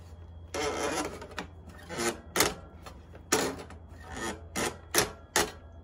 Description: This late 2015 double bike trailer makes a loud squeaking noise & is fairly sticky (not smooth movement) when the red parking brake lever is switched/flipped on and off.